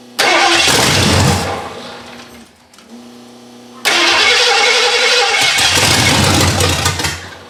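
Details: 1982 Ford Granada, parked many years, first start with temporarily wired fuel pump, fresh gas and dry unprimed carburetor; brief crank, catches with loud burst through open headers, dips, fires again and keeps running: normal start.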